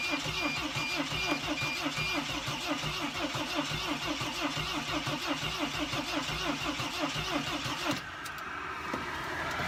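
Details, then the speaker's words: 2006 Mercedes Sprinter T1N diesel with an empty tank and a non-working fuel pump (pulled from the tank): steady rhythmic cranking catches briefly, then cuts out around eight seconds. It is a fuel-starvation stall; with smoke at the back, the owner also suspects the MAF sensor or a leaky injector. "the fuel pump is not good it's actually not working I have pulled the fuel pump off from the actual from the fuel tank"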